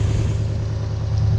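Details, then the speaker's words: Toyota Hilux with 1UZ-FE V8, lack of power and poor idle, before repair: idles fairly smooth with a slight lump, revs flat, deep uneven rumble; no spark on some cylinders, running on only four cylinders; misfire on one bank. "So it's actually sitting there pretty smooth. There's a little bit of a lump to it. It'll rev. This is how flat it sounds. So that's sounding pretty flat."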